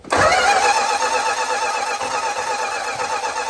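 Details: 1965 Plymouth Barracuda, original 273 V8, 138k miles, 4-speed, off road since mid-90s, used fuel pump fitted, fuel poured in carb: cranks evenly with modest compression, catches into uneven lumpy idle with dropping beat; sounds down a cylinder, burning oil, needs tune-up.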